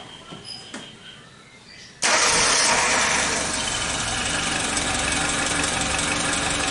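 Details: Suzuki Jimny Katana after timing belt and tensioner replacement and valve clearance adjustment, restarted after an oil level check: quick crank catches at once, steady even idle, no knocks or misses; normal start and idle.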